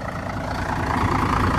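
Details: Setra S 315 bus (Wagen 83) idling: steady, even diesel clatter with a deep rumble underneath and no misses or knocks; healthy smooth idle.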